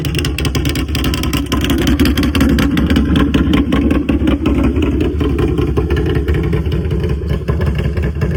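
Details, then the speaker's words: Can-Am Renegade 1000 ATV right after oil and filter change; loud steady lumpy idle with rough exhaust thump, no distinct ticking heard though exhaust is loud; normal idle. "she's um, sounding pretty good. I don't hear no ticks or none. I mean, I know it's loud, so I wouldn't hear it anyway"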